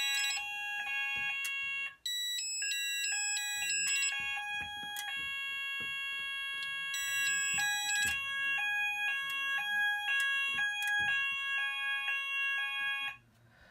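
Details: Haes Vector addressable fire alarm panel after silence then immediate re-evacuate: loud stepped high-pitched tone patterns running steadily together for over ten seconds; sounders now in sync.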